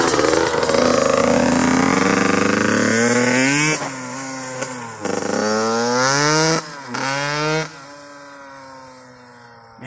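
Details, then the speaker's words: Yamaha YZ85 two-stroke after a fresh top-end rebuild, about 2.5–3 hours on it, revved in neutral: crisp blips climb cleanly to high revs and drop back to a steady idle, with no rattles or bogging. Sounds good and healthy. "Man, she sounds good."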